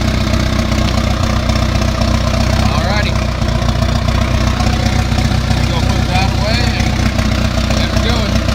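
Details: John Deere 450C crawler diesel cold start at 58°F, jump started after about 20 seconds of cranking: it catches and settles into a lumpy, uneven idle with a low thudding pulse; rough cold start from a bad injector.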